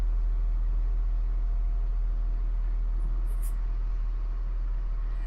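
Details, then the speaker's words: 2000 Acura 3.2 TL, high mileage, idling after a new starter motor was fitted: a steady low hum with no knocks, misses or grinding; a smooth, normal idle. "Let's do a startup now and see if the starter works. Ah, sounds beautiful."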